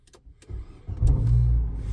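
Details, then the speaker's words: 2010 Nissan Cube, high mileage, formerly in limp mode, check engine light reset the night before: brief crank then quick catch into a steady, even low idle; normal start. "Starts right up."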